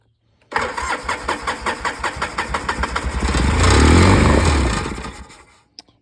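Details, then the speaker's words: Free Polaris 700 quad, first start after checking for spark, carburetor had been fully disassembled: quick cranking catches and revs smoothly with an even exhaust beat, no knocking or harsh noises; engine seems healthy, normal start and idle. "Well, would you look at that? That didn't sound too bad. So that gives us a little indication here that the motor's probably not terrible on this thing. I didn't hear any knocking."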